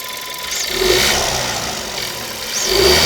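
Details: Škoda Fabia 1.2 TSI 81 kW, new car: engine revving up and down with a light metallic rattle over it; owner suspects chain rattle, cause not confirmed.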